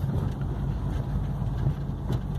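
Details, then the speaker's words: GM Onix automatic after misfire repair, road test at very low speed up a gentle climb with light throttle, gearbox downshifting: low, even engine drone with no stumbles or misses; runs smoothly under load. "sem pisar vamos ver reduziu sem falha sem nada sente o motor trabalhar suave"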